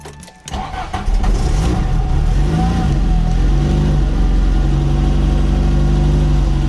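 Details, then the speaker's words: Rough running on a classic VW Golf Mk1 Softtop at first cold startup on choke: cranks and catches, then idles lumpy with uneven pulses and wavering revs; owner says it needs tuning, more choke smooths it. "Let her warm up. Oh no. Sounds like we need to tune her a little bit."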